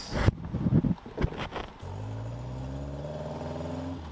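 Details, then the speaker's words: Caterham Super Seven carburetor engine on a test drive after re-jetting: clean smooth pull from low revs, pitch rising evenly, no carburetor backfire; low-rpm acceleration fixed. "The carburetor backfires and all the low rpm acceleration is perfect! Fixed perfectly!"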